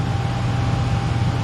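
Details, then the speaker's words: Furnace after replacing the transformer, control board, blower motor and capacitor, with no filter fitted yet: a smooth low blower roar with a faint steady tone, no cycling off, rattle or overheating; normal running. "Running great. Doesn't want to kick off or anything. It's not overheating."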